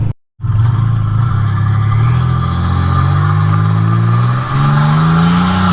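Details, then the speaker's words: 1985 Nissan 300ZX Turbo (Z31) after new plugs, wires and replacing a torn charge-pipe hose (boost leak), following misfiring under boost; radiator fan off: loud exhaust pulls cleanly with rising turbo whistle, no stumble or cut-out; boost builds normally. "i just swapped it to a new piece of hose put the clamps back on it and boom we got a boost now"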